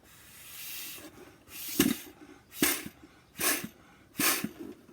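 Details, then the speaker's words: CleverSpa hot tub air pump: puffs of air rush through the bubble tube's spring-loaded non-return valve, each followed by a light snap as the valve opens and reseats; the valve is clicking open normally. "A non-return valve means when the air goes through, it basically opens up, and if I actually do this, you can hear it clicking."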